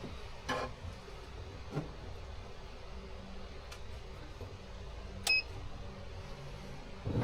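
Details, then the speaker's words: Homebuilt steeple-cab trolley locomotive on a 3000 W inverter: a few clicks, then one short high beep as the load comes on; inverter trips on overload. "The unit draws power briefly before the inverter trips, which you'll hear when it beeps."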